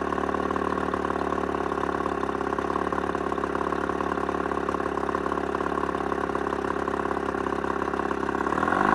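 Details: Mercury 35hp two-stroke outboard at mid throttle: steady buzz with an uneven stumbling beat and random coughs that almost cut the motor; intermittent misfire, otherwise runs great.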